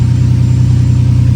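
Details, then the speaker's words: Ferrari 456 V12 after installing new gapped spark plugs to cure random misfire: fast, even idle exhaust pulse, steady unbroken hum with no stumbles or shaking; all cylinders firing smoothly, though misfire could return (coils possible). "And here we go. Definitely feels a lot smoother than before. Not getting that little kind of shaking sensation anymore."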